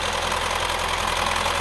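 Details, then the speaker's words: Mini Cooper gasoline engine with valve timing solenoids, before engine replacement: idle with fast dry metallic diesel-like clatter, belts removed, stethoscope at front confirms timing chain slapping; timing chain rattle. "stethoscope around the front even can feel that timing chain slapping around"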